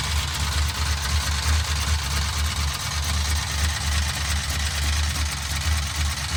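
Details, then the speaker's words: 1968 Dodge Charger with a used big-block 440 at idle: fast light ticking over a steady low rumble, keeping pace with engine speed. Pushrods were already changed but lifters were not, and the owners are hunting which one makes the ticky-tack noise. "All right, here's our solution to trying to figure out what the noise is. We put these things back on right here, and we're gonna see if we can figure out which one's making the ticky-tack noise."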